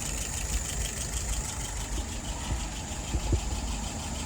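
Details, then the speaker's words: Restored WO 636SA carburetor being tested on the engine: high idle at 700, fuel pressure about 2.75, vacuum 23, load set 3/8, no nozzle dripping. Smooth, steady raised-speed run with even low rumble and no misses; running properly. "Currently idling at 700. That's the top end."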